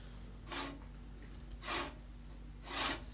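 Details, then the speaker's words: Great States manual push reel mower after backlap sharpening with lapping compound, reel turned by hand: three even, light swishing passes across the bed knife with no catching, smooth and even; the reel cuts properly and is ready to use. "nice and smooth and it sounds very even because it runs across the bed knife so this this reel is ready to go guys"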